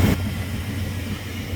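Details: Farm truck V8 with running concern, after new distributor cap and rotor, wires and air cleaner refitted, distributor still loose: steady even low rumble at idle, no stumble; firing cleanly.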